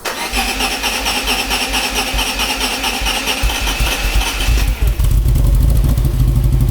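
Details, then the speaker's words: Maserati 4.24V 2.0 V6 Biturbo under restoration, after muffler repaired and some rock wool removed: starter cranks, engine catches and settles, then deep even rev with no exhaust puffing or ticking; leak gone, exhaust sealed, normal start. "nó sẽ ít gây ra tiếng ồn hơn so với trước đây tôi đã loại bỏ một ít len đá nhưng vì trước tiên không có rò rỉ nữa nên nó phải ít"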